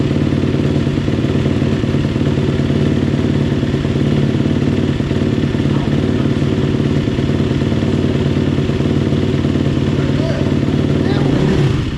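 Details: GasGas two-stroke dirt bike, first start after top-end rebuild: steady, crisp two-stroke burble at an even pace, no knocking or misfires; normal running.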